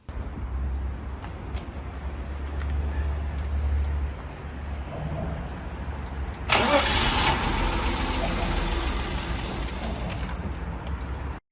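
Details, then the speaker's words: BMW E34 revived after 15 years outside, first start after new fuel pump and service: cranking, then it catches with a sudden roar and dies within seconds; the intake boot to idle control valve hose was found disconnected. "and it fired right up and immediately died again. So what was the problem? A hose from the intake boot to the idle control wave was completely disconnected."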